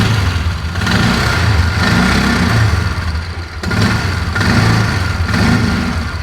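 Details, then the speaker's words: 2004 Polaris Ranger 6x6 after engine work. It idles steadily with no more knock, but each throttle blip swells, then bogs and falls back at higher RPM. Hesitation at high RPM; owner suspects the carburettor needle is set wrong. "Doesn't want anything in that upper RPM range, though."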